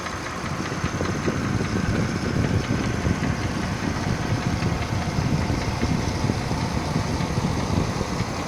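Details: 2009 Mercedes-Benz GLK 350 at idle: steady idle with a rough, rattly engine clatter and no clear rhythm, cause not identified.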